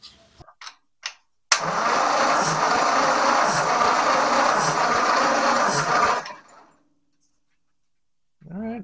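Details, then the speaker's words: 1944 Ford 2N tractor cranking after ATF soak in cylinders: chuffs about four times a second for four seconds, never catching, soft compression strokes; readings 85, 55, 75, 60, still low, valves next to check. "all right so compression is better but still pretty low at least on some of the cylinders so I think our next step is to check the valves make sure they're seating properly"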